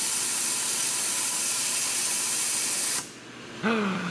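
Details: Rolair JC10 air compressor after new pressure switch, unloader solenoid and capacitor check: loud steady air rush after motor stops, tank bleeding out through unloader; leaking check valve suspected.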